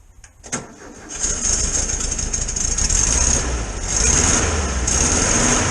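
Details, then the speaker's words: 1973 VW T2 camper, restarted after carburettor removal, jet unblocking and adjustment: brief crank, then it catches and settles into a steady, slightly fast choke idle with no stumbling. Clean cold start on choke. "obviously it's running on choke at leave this in here i'll let it warm up a bit"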